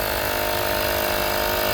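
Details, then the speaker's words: Enusic 7800mAh portable air compressor set to 2.3 bar: steady buzzing pump drone at an even pitch, pump runs but pressure display stays at zero; gauge fault. "now i start the pump and as you can see you can you can hear the voice of the pump but there is nothing in the display just zero so we don't know what is the status of the pressure"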